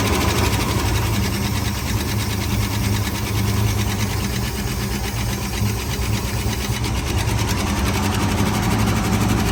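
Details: 1970 Ford Bronco, carbureted V8, first start after 8 years sitting, suspected not pulling fuel from tank: steady, slightly uneven idle with faint light tick; source not pinned down.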